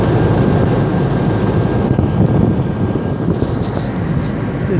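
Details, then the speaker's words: Hummer H2 6.0L GM engine after replacing alternator with broken shaft that sounded like engine knock: deep, steady exhaust rumble at idle, no knocking or bearing whine from alternator; normal idle. "new generator was installed now listen there's, no noise now Only the rumble of the Exhaust There's no noise from the alternator itself"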